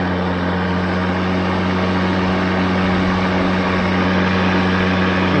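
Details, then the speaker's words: ECHO DLM-2100SP eForce 56 volt self-propelled 21" battery mower, new, switched from regular to turbo blade speed: steady, even motor hum with constant low drone, no knocks or surges. "so that's in regular mode you can hear the blades and we turn on turbo"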